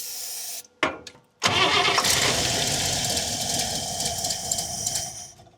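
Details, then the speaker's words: 1961 Buick LeSabre after radiator and fan upgrade, air cleaner on: short uneven cranking bursts with pauses, then catches and roars; hard start, seems to have lost prime, owner unsure if fuel pump or very old gas. "Definitely seems like it lost its uh its prime. But everything's got a gas in it, though. Maybe it just likes that really old gaff. Okay, there we go. All right, that definitely took a while. I don't know if it's a a fuel pump issue or what, but could just be an old car thing."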